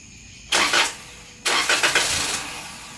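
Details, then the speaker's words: 2015 Toyota Corolla, first start after battery replacement with new 640 CCA battery: two short cranking bursts that die without catching, then relearn of throttle position; second start fires right up. "Gotta relearn the throttle position. It's always the first start and then the second one fires right up."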